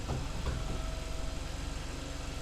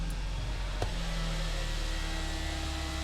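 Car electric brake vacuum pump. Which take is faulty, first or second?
second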